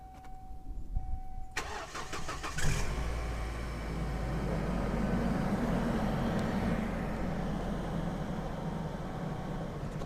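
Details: Car that previously had hydraulic lifter ticking on start-up, now treated with additives, started after sitting overnight and several days in warm weather: brief crank, then a smooth, even idle with no top-end ticking; normal cold start.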